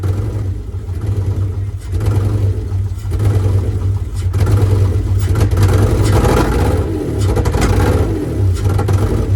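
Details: Free Mitsubishi 3000 GT SL (front-wheel drive) V6 project car: lumpy, uneven revving with a stumbling exhaust beat, misfiring and not running on all six cylinders; two coil packs are to be replaced.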